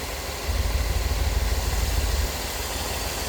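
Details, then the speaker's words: Petrol engine idling with a steady low rumble and no stumble after a new coil, cap, rotor, spark plugs and wires fixed spark tracking; the misfire is gone. "No more spark tracking. Cap rotor. Spark plugs, new wires. Got that misfire taken care of."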